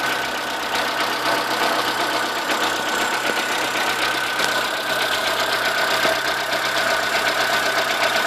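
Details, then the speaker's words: Chevrolet Corsa 1.0 8V VHC idling: fast, uneven tapping over a steady idle, heard on one side; stops when alternator belt tension is removed, persists with another alternator and new tensioner; no oil loss, overheating or smoke; main bearing suspected, unconfirmed. Engine knocking. "o barulho aqui que é esquisito é justamente esse que tá começando a fazer [Aplausos] agora esse barulho via a tensão da correia do alternador ele para me disseram que pode ser mancal"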